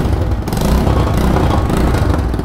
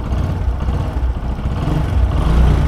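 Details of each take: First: Single-cylinder motorcycle at idle: a quick, sharp bat-bat puffing over the engine, steady with idle, from an exhaust leak at the port gasket at the cylinder head; fix starts by removing the silencer pipe's two nuts at the engine. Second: Single-cylinder motorcycle after replacing the burnt collar at the cylinder head–exhaust pipe joint; even low thump rising smoothly with throttle, the earlier pat-pat exhaust leak noise gone. Normal idle after repair.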